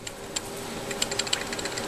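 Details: 2003 Chevy Tahoe 5.3L V8, engine off during water pump gasket job: hand-spun belt tensioner pulley between A/C and crank pulley gives dry uneven clicking and rattling as it slows, visible wobble; worn tensioner bearing, replaced.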